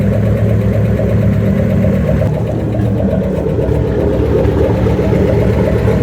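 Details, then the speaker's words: '67 Ford F100 with 5.7 Hemi and Eagle heads, first start after new coil drivers: steady V8 idle with light quick valvetrain ticking following engine speed; owner suspects pushrods slightly short. "it's definitely got a lot of valve train noise um I'll have to pull a valve cover off and make sure those push rods are the right lane they might be a little short"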